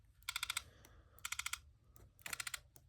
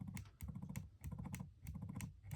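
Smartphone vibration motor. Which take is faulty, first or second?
first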